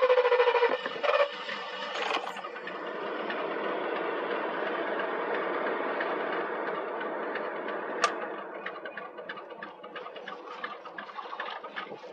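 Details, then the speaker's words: Ford Mustang 5.0 HO V8 at an auction yard, started with a jump pack: it barely runs, stumbling with a surging, ragged idle. A bad fuel pump or possibly the boss system is suspected; cause unclear. "she's running but barely you hear that almost like a bad fuel pump"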